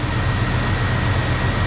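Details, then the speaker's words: 1994 Chevy Silverado 1500 engine with a rebuilt throttle body, on first start after 10+ years sitting: low, slightly uneven loping idle with a faint steady hiss, a rough idle from vacuum leaks still to be fixed. "oh it's awesome i've got some vacuum leaks to fix that's for sure but she's running people she's running"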